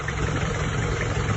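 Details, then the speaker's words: 1994 Panther diesel, first owner, never rebuilt, around 350,000 km, before overhaul: low idle with a slightly uneven, limping beat, little smoke, not severe; rough idle. "Kalau untuk suara emang agak njek gitu ya. Agak ada pincang. Belum begitu ngasap sebenarnya, tidak parah ini."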